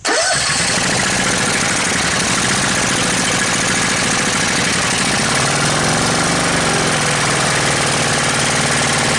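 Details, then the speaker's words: Honda GX630 engine on a trailer hot-water pressure washer that stalls at full throttle, running with vacuum gauge attached: speed wavering up and down, hunting and sounding fuel-starved; fuel pump works, carburetor suspected, not confirmed. "men dead. H she was teetering quite a bit there, but she was"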